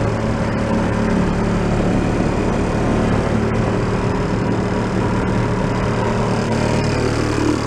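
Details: 1937 Sears Water Witch 2.5hp outboard, 83 years old, revived after about 60 years in a shed, mixture set richer: steady drone with constant low hum under load, no misses, knocks or surging, getting warm; normal running.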